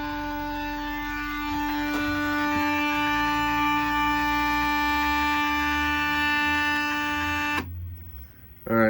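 A steady buzzing hum holds one pitch for several seconds then cuts off; the stepper is energized but stalled, not turning. Cause suspected, not confirmed.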